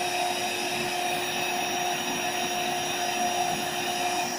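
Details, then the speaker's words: AeroBed Deluxe Raised double air bed, built-in electric pump inflating it, owner told of a pinhole leak somewhere: even, steady motor drone with constant mid-pitched hum, no surging or rattles; pump works normally, bed firms up. "So basically the pump works and the deflator works, which is just here. I'm going to turn it on in a minute."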